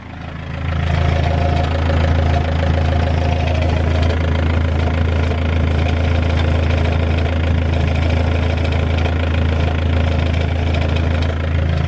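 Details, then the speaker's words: 200k-mile BMW E46 320d Touring, M47 diesel, idling cold just after first start while warming up: loud even rumble with a faint rapid chuffing rattle; owner suspects exhaust leak at the downpipe flexi. "Engine sounds pretty good though. I know we have an exhaust leak. I think the flexi has probably gone on the downpipe."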